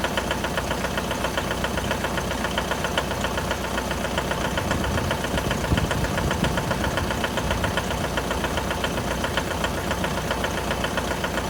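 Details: 2011 Mitsubishi L200 with 4D56 diesel at cold idle: sharp, regular knocking at roughly two and a half per second over the idle; cold-start engine knock, cause not identified.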